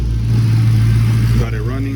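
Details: 2016 Dodge Challenger Hellcat V8, 74,000 miles, just after new spark plugs for P0300 multiple misfire: deep steady idle with even beat, no stumble; code pending, no check engine light.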